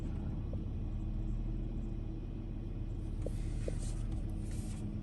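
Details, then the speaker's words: Eight-year-old car after replacing three ignition coils (misfire code on coil 5), new spark plugs and cleaned throttle body: steady even idle rumble with no stumbles or skips; misfire fixed, runs clean. "يعني نقول حلينا المشكله باذن الله السياره صافيه باذن الله ما شاء الله تبارك الله هذا بدون المكيف"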